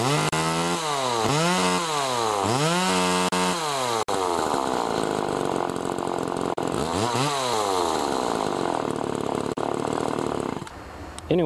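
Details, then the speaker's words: Homelite-made Duramark Super 2 chainsaw after oiler duckbill valve repair, cutting wood: two-stroke screams at full throttle, bogs smoothly into the cut and recovers; pulls strong and oils well. "she cuts good now she's oiling pretty good now a lot of oil on that chain"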